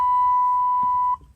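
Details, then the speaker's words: 1987 Chevrolet Monte Carlo, door open, key in ignition: pressing the brake pedal makes a single steady high-pitched beep about a second, stopping when brake released; warning buzzer sounding, electrical fault, cause unknown. "warning buzzer mash the brakes the buzzer come on without the braks it stops"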